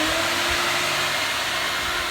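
Steady, even high-pitched rush with a constant tone and no surging or rattles; the vacuum motor is running smoothly and healthily.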